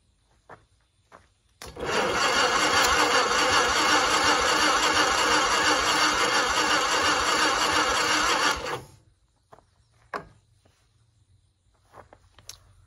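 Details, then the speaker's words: 1960 Onan industrial engine for a homemade Model T replica truck, unstarted for many years: cranks at a steady even rhythm about seven seconds with no firing; fuel reaching line, power to coil then checked, plug found dry. "fuel pump is starting to pump up we got gas coming into our line not sure if we got any power though"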